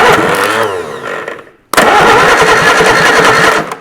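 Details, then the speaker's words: Reliant Supervan III Robin Reliant engine, rebuilt: starter churns it over evenly for a couple of seconds but it never fires; cranks, no start; suspected old spark plugs, rotor arm, insufficient fuel or bad timing, unconfirmed. "might need to attempt on a bit more cleaning on there don't you or cuz he's sort of going not going"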